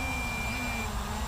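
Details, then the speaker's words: MJX Bugs 3 brushless quadcopter in flight, slight motor flutter; a high-pitched transmitter beep over the motor drone; low battery warning beeps. "the transmitter is beeping and I'm going to come in for a landing cuz I don't want to wreck this one"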